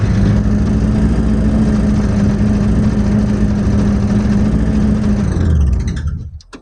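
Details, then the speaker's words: 1979 Corvette V8, off the road since 1995, started and pulled out under its own power for the first time in about 20 years. A strong, even burble holds steady, then cuts off cleanly, with no misses or knocks. "It pulled out under its own power for the first time in 20 years."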